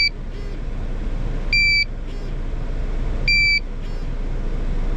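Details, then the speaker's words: GZAIR SA103 portable carbon monoxide detector near a running engine, CO reading over 1000 and starting to drop: sharp high double beeps about every 1.7 seconds with vibration after each beep, over the engine's rumble. "I don't know if you can hear the vibrations at all but after the beep it vibrates once it gets under 200 the vibration is going to go away there's just an alarm"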